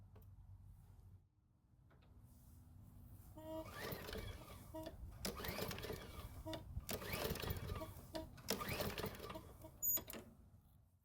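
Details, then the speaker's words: Garden Line mower, engine made 2017, about 7 years old, spark plug wire replaced: pull-cord bursts turn it over but it never fires, a no-start from water in the fuel. "so of course it's not going to start which is pretty much what I expected"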